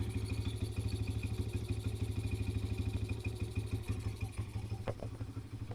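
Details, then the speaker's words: 2007 Kawasaki KFX50 4-stroke 50cc kids' quad, sat 3 years, no spark fixed by replacing the CDI, a fuse and sheared flywheel keyway: steady even thump about three beats a second, no misfire or knock; runs fine. "no way oh man was I excited to hear that thing running it was it was nice"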